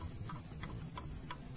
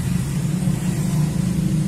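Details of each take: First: Yamaha Jupiter Z engine torn down, nothing running: sharp light metallic clicks, about three a second, as the connecting rod is rocked, showing worn loose big-end bearing play; rod to be replaced, cylinder rebored. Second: Jupiter Z small single-cylinder engine after teardown and reassembly: steady low, even thrum with fast regular firing and no knocks, then a sharp cut-off; engine runs clean, normal running.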